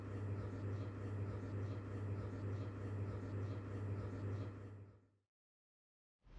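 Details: Noisy ceiling fan (F-MY14S) before capacitor and bearing replacement: low, pulsing electrical hum from the motor that drops out when switched off; humming from a faulty capacitor.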